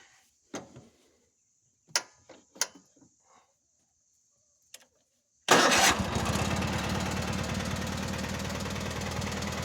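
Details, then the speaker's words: Cub Cadet 782 Kohler single-cylinder tractor after fuel-system cleaning, about an hour of heavy mowing, warm: a few quiet clunks then a steady, even thump; runs great, though oil pressure drops to about 10 psi warm at idle. "Run's great it's pretty warm now"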